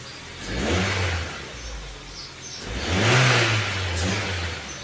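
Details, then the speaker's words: Ford Fiesta Mk6 after fixing an EAC fail/limp-mode fault, a service and a new battery, revving while stationary. Two clean throttle blips rise and fall smoothly with no hesitation, knock or rattle. Revs freely and sounds healthy. "now let's test out the revs thing is still on the check stand and let me just test out the Rev real"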